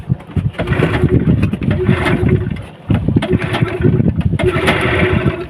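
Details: Yamaha 15 hp outboard, hard to start and no power at full throttle: repeated cranking bursts that catch and stumble with no steady idle, caused by a weak ignition coil and clogged carburetor.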